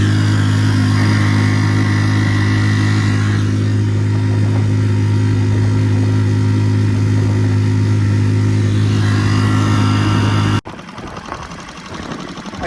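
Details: Normal running under load on a Tohatsu 3.5 outboard on a West Marine PRU-3 inflatable with an upgraded prop and a Doel fin, fitted to fix surging, during a trim-position test. A steady, even drone holds constant pitch with no surging or hunting.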